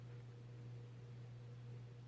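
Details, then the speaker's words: Vintage late-70s/early-80s Hunter Robbins & Myers Original ceiling fan, model 22274, two-speed shaded-pole oil-bath motor, on low: steady even low hum, no ticks, wobble or rubbing; low speed is very fast, characteristic of these older two-speed models, normal. "so this one's low speed is really fast and I do know that that's a characteristic on these is that on these two older two-speed ones is that they're very the low speeds are very fast"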